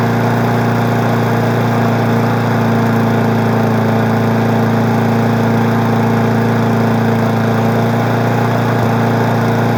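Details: Weed Eater 20-inch mower being woken up in March, steady even drone at constant speed with no misses, surges or knocks; smoky but running smoothly without shaking.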